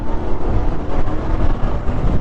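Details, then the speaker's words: Bajaj Pulsar 150 BS6 at about 50,000 km, after a clutch plate replacement: deep, steady engine roar pulling smoothly under throttle with no slipping surge, rattle, knock or extra noise; normal acceleration. "कोई problem नहीं लग रही है और ना ही कोई इसमें extra आवाज आ रही है"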